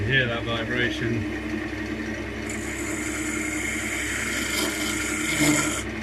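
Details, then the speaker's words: Wood lathe turning a thin-walled spalted beech mini goblet box with a scraper: harsh buzzing scrape with steady ringing tone; the tool chatters, leaving chatter marks and grooves. "better have some rather nasty [Music] chatter marks and that's what it is it's just causing chatter gonna leave some funky grooves"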